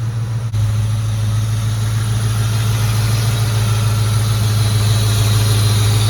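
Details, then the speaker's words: Ford Mustang GT V8 at idle after heater hose work (heater core cracked, coolant had dripped from firewall drain onto exhaust): deep, even burble, no misses, ticks or knocks; oil pressure up, exhaust leaks checked, normal idle. "so nothing serious everything's looking good oil pressure is up everything was just going great"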